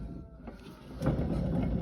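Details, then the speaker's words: Western Tornado/Fisher Polycaster electric spreader spinner shaft, turned by hand after greasing, had been stiff with CP fault code: rough, gritty growl from a worn, dirty single-seal spinner bearing needing replacement. "she turns but you can hear how growly that bearing is"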